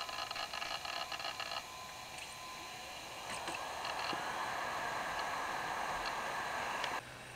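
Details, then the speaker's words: NEC Versa 6030X laptop, with the hard drive heard through a hole in the case: rapid irregular clicking and seeking chatter over a rising whir; slow, noisy, thrashing hard drive. "my god this is a slow arrived hard drive really noisy too you can probably hear it because there's a hole in the side of the case right there"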